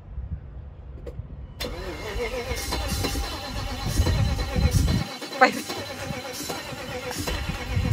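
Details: 1992 BMW E32 740iL, first start after standing 5 years: quiet lead-in, engine catches after about two seconds and settles into a steady idle with background noise; starts cleanly.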